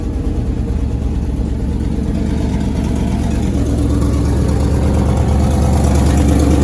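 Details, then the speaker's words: 1963 International Harvester Loadstar 1800 after 20+ years sitting, restarted at idle: steady low, even rumble with no knock or top-end tapping, a little smoky; oil slung everywhere suggests a tired motor, or the compressor; normal idle. "She doesn't sound too bad. A little bit smoky, but judging by how much oil is slung everywhere in here, I was gonna guess that the motor's pretty tired"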